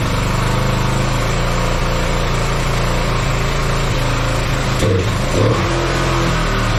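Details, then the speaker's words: Kawasaki Bayou 220 ATV after sitting 8 years, started after freeing throttle and oiling cylinder: steady single-cylinder thrum with throttle blips, even and unbroken, somewhat smoky; runs fine, starts right up. "sounds like it runs just fine um it's almost like it was clearing itself up um but Smokey in here um yeah should run fine now um yeah starts right up"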